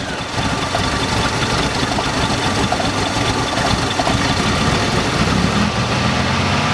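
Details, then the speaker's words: 1987 Oldsmobile Cutlass, long non-running, first crank: catches with spark and carburetor MC solenoid clicking, then runs ragged with no steady idle and dies; fuel starvation, owner suspects an empty gas tank. "Alright, well I guess that is all it'll do. The gas gauge is now showing that it's past full, so I'm going to guess that there's nothing in the gas tank."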